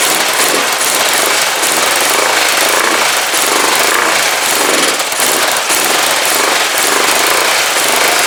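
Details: Freshly built Kawasaki GPZ500S twin, run in a frame on the float bowl's remaining fuel: loud, fast, even hammering with steady level throughout; runs healthy with no misfire.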